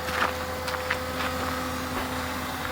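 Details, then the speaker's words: Daihatsu Rocky, recorded near the wheel at start-up, after fuel pump failure left it dumping fuel: steady high whine over a quiet idle, louder than the engine, constant regardless of engine speed, vibration felt through hard lines; cheap, noisy fuel pump. "listen to how loud this fuel pump is so kind of point the camera over here by the wheel and i'm gonna start it up do you hear that that is ridiculous it's louder than the engine itself the high pitched wine"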